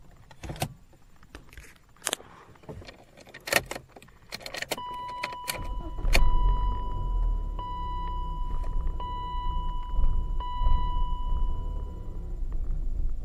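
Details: 1998 BMW 318ti E36/5, M44 1.9 L four-cylinder: keys rattle, engine starts and holds an unsteady, wavering idle; caused by a faulty camshaft sensor, fixed by replacing it, though idle stayed slightly uneven afterward.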